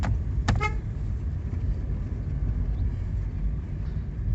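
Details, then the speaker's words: VW Voyage driving over bumps on a windy day after cardboard shim holding the driver window glass; even road rumble, one short horn toot, no door rattle that used to occur with glass lowered; fix worked. "É só baixar o vidro começava a bater aqui ó ó e é não tem mais barulho não e foi eficiente serviço papelão Zinho lá só segurar um pouquinho o o o vidro já eu resolvi"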